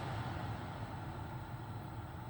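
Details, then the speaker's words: 2013 Toyota Highlander 2WD, 117,000 miles, after replacing the failed blower motor with an aftermarket unit, fan on highest speed: steady, even airy rush with no ticking or clicking; normal blower operation. "no more clicking from down there I love it I love these results it's a great success it's a very very nice the action of the fan"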